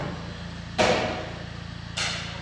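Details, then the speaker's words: Nissan Terrano on lift, front suspension knock: three sharp, hollow clunks as front stabilizer bar is moved by hand; sway bar bushing half worn on one side, missing entirely on the other. "тут уже вообще резинки нету с этой стороны здесь Вот резинка есть наполовину всттулка стабилизатора а с другой стороны её нет вообще ну как она может не стучать"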